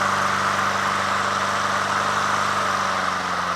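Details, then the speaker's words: Honda HRT216 push mower at lowest idle after carburetor cleaning, which earlier surged at low idle: steady even purr with no surging or hunting; fixed, normal idle. "See here, we're at the lowest idle now, right? Purrs like a kitten, man. Just so smooth, you know? So smooth."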